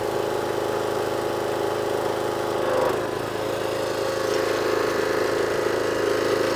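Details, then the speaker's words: Power washer/jet wash engine that previously would only run on choke. With water on after the fix, a steady mid-pitched drone holds even speed with one brief surge near three seconds, running cleanly off choke. Normal running. "so there you go one jet wash now all up running and running off a choke as well"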